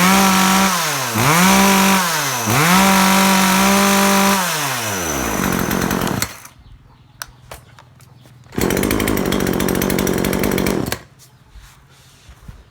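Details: Chainsaw after repair of a no-rev fault caused by an over-rich fuel mixture, with the needle readjusted: crisp revs rise and fall cleanly, then it cuts wood at steady speed. Engine pulls strong and sounds healthy.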